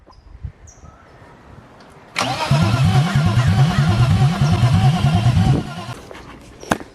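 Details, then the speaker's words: BMW E36 M50 B25 after valvetrain/head rebuild and timing chains, after oil priming: about three seconds of steady starter churning at two to three beats a second, never catches; crank no start, then starting fluid used. "learned that M50 B25s need a little bit of kissing, some starting fluid."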